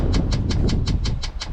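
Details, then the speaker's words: Cheap Chinese diesel heater newly installed in a Sprinter van, heard from underneath the van. Sharp, even ticks about five or six a second over a low hum: the dosing pump priming normally. Afterwards the heater showed an E10 error; owner suspects no fuel because the van is parked at an angle. "Right, so if you can hear that, that's the pump going, and it's basically trying to get fuel."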